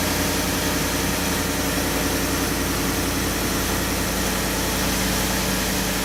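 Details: 2015-or-later Ford F-150 cold start: steady, even idle with smooth low rumble; the clack and rattle sometimes heard comes from active grille shutters closing and opening, not timing chain; no rattle here, sounds healthy.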